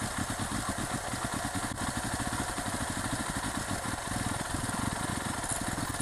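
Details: 2008 Yamaha WR250R after replacing fuel pump with Highflow Fuel HFP-390: quick even single-cylinder putter at steady idle, no misses or knocking, starts and runs cleanly; normal idle.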